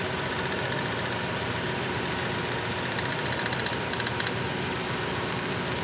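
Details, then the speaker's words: Ford F-150 waste-spark ignition, cylinders five and six misfiring, at idle: sharp crackling snaps in time with the engine as the number six plug wire arcs continuously, secondary ignition arcing from a bad plug wire. "A there's our arcing right there. How cool is that? That's what we're hearing."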